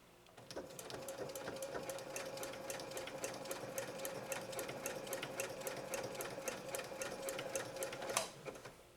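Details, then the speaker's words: Serviced Janome 3160 QDC and Magnolia 7330 sewing machines sewing a super long, super wide zigzag with Schmetz Universal needles: even, crisp needle ticks about four per second with light motor hum; running silky smooth, healthy. "These machines, all three of these machines, are just very, very happy. They're just running super silky smooth."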